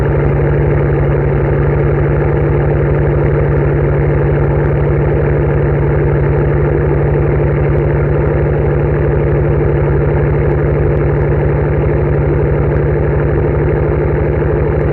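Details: 2007 Mercedes-Benz S65 AMG V12 cold start after sitting about two weeks, camera about 3 feet from the rear bumper: deep exhaust burble at fast cold idle with an uneven, stumbling misfire beat, then revs drop and settle; cause not confirmed.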